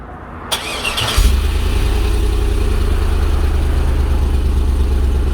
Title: LS 5.3 30° cold start with new exhaust shorty headers to a y pipe